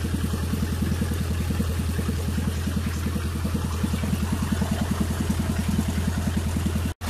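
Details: Miller Big 20 welder engine after new spark plugs and points: smooth, even idle with steady thump about three and a half pulses per second, no hunting; owner found it idling too high (spec 1200 rpm, 1800 welding), now acceptable.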